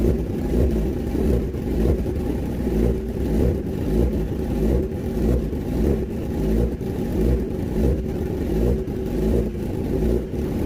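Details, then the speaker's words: Kawasaki ZX10R four-cylinder after cylinder 3 valve repair (compression 172) and cleaning of all 8 injectors, coolant not yet added: runs evenly and blips cleanly, no misfire or stumble; fixed, starts and runs normally. "ตอนนี้รถก็ติดเป็นที่เรียบร้อยนะฮะ"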